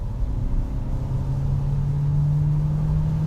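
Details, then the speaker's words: 2023 Nissan Juke Hybrid pulling away under sudden full throttle from gentle driving: deep, loud, strained engine drone climbing and holding one pitch while the gearbox hangs on and is slow to upshift even after lifting off; not quick. "it does mate quite a racket and I've let off now and it's still not changing there we go um it's not quick by any stretch"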